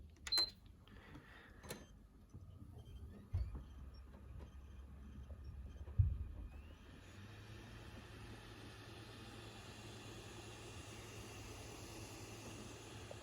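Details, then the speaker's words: PS5 console powered on with a disc (Mafia 2 Definitive Edition) already inserted: a few light clicks, then soft steady whirr and hiss as the disc spins up, louder than a boot without a disc; normal drive spin-up. "so as you can see it's considerably uh louder um obviously with a disc inside when you boot it up with a disc inside because obviously it uh the the obviously the disc starts spinning the second you where you power it up"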